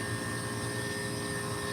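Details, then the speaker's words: Hoshizaki ice machine: a steady high-pitched whine over an even compressor hum. Normal sound signaling the freeze cycle is very close to harvest. "I don't think you can hear it or notice it but right now we got a high pitch sound from the"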